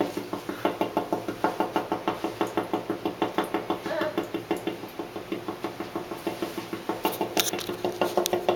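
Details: Carrier AC unit banging only with fan on AUTO and outdoor temperature over 80°F, not when blower runs continuously: steady sharp metallic knocks about three per second from inside the unit; cause unknown.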